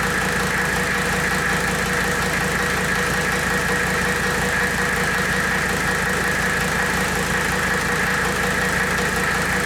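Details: 1984 Mercedes W123 300D turbo diesel, idling while the power steering is bled after a fluid top-up: even diesel clatter with a faint steady pump whine on top. Runs smoothly, nothing abnormal.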